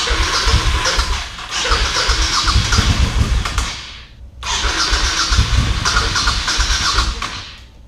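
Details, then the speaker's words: Carbureted motorcycle with pod filters, sat about a year on old gas, battery charged: two cranking bursts of about three seconds, first without choke pumping throttle, then full choke; engine spins steadily but never catches; cranks but will not start, dirty carbs suspected. "See if we can pump that accelerator a little bit. Nothing. All right, let's try it with choke. Full choke. Same thing."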